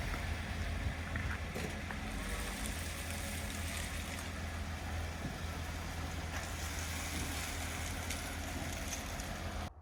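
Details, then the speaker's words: 2015 Lexus ES350 after brake service (bracket cleaned, pad hardware and parking brake adjusted), rolling forward and reversing: only a low rumble, no squeal or groan, so the brakes are now quiet after months of noise. "so as y'all just saw we went ahead and took the car out and parked it just like we did in the beginning when it was making noise and now it's completely silent no groaning when we're reversing no squealing when we're coming forward so it's all good"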